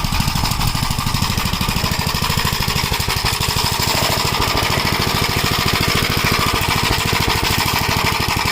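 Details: 1956 Gravely Model L single-cylinder, governor removed, after full-throttle running: hard chatter with uneven pops, misfiring and smoking; owner suspects oil-fouled plug and possibly a broken ring, carburetor and points fine, not confirmed.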